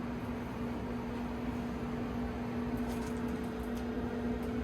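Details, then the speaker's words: Old Kenmore clothes dryer after replacing the drum belt and drum support parts to cure a loud knocking: steady even hum with a constant low tone and no knocks or thumps, running normally after repair. "I don't hear any knocking it's all good we fixed the dryer"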